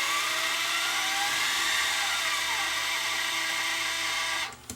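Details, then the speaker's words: Sony DSR-11 DVCAM deck on full fast forward: loud, steady, piercing high-pitched scream until cut off; fan ruled out, suspected bad bearing in transport, unconfirmed; owner reported noise in fast forward and rewind — high-pitched screech. "nope something is just screaming there a bearing or something's bad somewhere in there"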